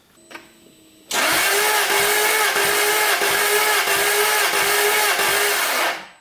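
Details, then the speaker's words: 1999 Jaguar S-Type V8 compression test, cranking with the throttle held wide open: steady starter whir with even, strong compression pulses. This cylinder reads about 135 psi, while others read 25, 35, 75, 80 and zero. Normal cranking compression. "About 135 psi. That's really good."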